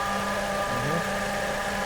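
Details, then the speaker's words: Power steering pump at idle: steady droning hum with a clear whine, caused by air in the power steering fluid. "А почему происходит такой эффект? Из-за наличия воздуха в жидкости гидроусилителя."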